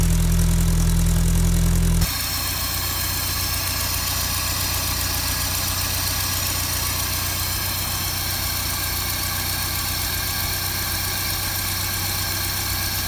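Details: 1955 Land Rover Series One four-cylinder petrol engine, freshly rebuilt after about 50 years standing, first start-up with rebuilt or replaced SU fuel pump; brief louder burst then steady, even low rumble, no knocks or misses, smooth healthy idle.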